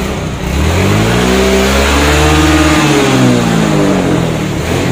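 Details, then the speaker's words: Yamaha injected automatic scooter (Mio J / Soul GT family) that would not start; after freeing a stuck starter switch the engine fires and revs cleanly, rising and falling smoothly with no misses or knocks: normal running. "Hai motor ini menyala"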